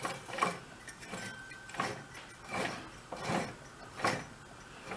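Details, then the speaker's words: 1970s Chrysler Snow Runner engine, sitting over 40 years, oiled and turned over by hand: slow irregular dry clacks about one per second, possibly from the clutch; unconfirmed. "feels a little I think there's got to be a clutch on it too so we might be hearing that noise which sounds a little on the clacky side you know"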